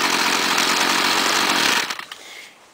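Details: 2009 STIHL FS38 gas trimmer, previously fixed by owner: high even two-stroke scream held steady, then winding down cleanly as throttle drops; normal running.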